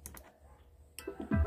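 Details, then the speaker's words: Taramps T0302 fully analog sound mixing desk at power-on: a few sharp single clicks, then the muting relay clicks firmly after a short delay and releases the audio; no audio until the relay opens, normal anti-pop behaviour. "aí o relê fez Tech e liberou o áudio desligar novamente ó quando eu ligo não tem áudio"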